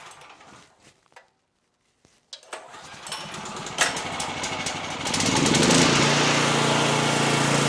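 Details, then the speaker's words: Generator after a carburetor clean and fuel solenoid replacement, choked and started. A few clicks, then it catches, revs and holds a smooth, steady hum with no misses or surging and no leaks. Normal running. "All right, fantastic. It's running like a champ, no problems. It's doing what it's supposed to be doing, no leaks."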